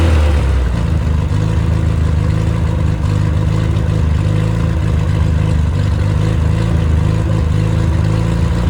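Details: Engine rebuilt after seizing, with two swapped rod caps corrected, new bearings, stock cam, low-compression head (~7.5:1, ~125 psi); oil pressure 75 psi at startup, ≥65 psi above 2500 rpm, 40 psi hot idle; steady even low rumble, smooth revving, no knocks; healthy.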